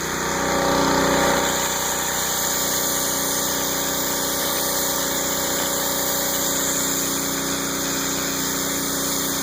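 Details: Northstar pressure washer powered by a 9 hp Honda GX engine, rated about 3,000–3,300 PSI; small single-cylinder engine settles into a steady, even run at constant speed with no knocks or misses, normal running.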